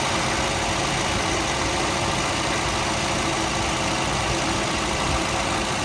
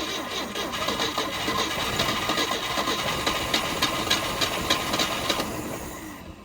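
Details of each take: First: 1971 Volvo 142 B20B with 3236 carburettor, first run after pickup from original owner: steady even idle, smooth low drone, no misses, knocks or ticks; engine runs healthy. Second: 1971 Volvo 142 with a B20B, one owner, in a revival attempt: the starter spins steadily, pauses with a click, then cranks again without catching; there is spark from the substituted Pertronix Flamethrower coil but fuel starvation, so a temporary boat tank is planned.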